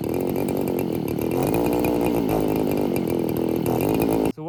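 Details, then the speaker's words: Roughly 40cc two-stroke chainsaw on vodka, no oil, running super lean; after brake cleaner down the throat it buzzes high and uneven about four seconds then cuts out abruptly. Running briefly then stalling; carb clean planned. "so I threw some brake clean down the throat of it to see if that would help it it sparked up for a little bit burnt all the brake clean and then died again"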